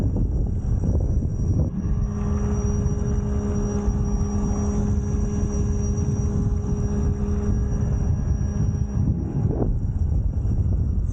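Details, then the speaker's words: A Fliteboard electric hydrofoil runs at about 30 mph after the wing was sanded to cure a whistle. There is a steady low rumble of wind and water and a faint even motor hum, with no high whistle. The foil is quiet and normal. "actually I went down 30 miles an hour yeah 30 miles an hour and no noise"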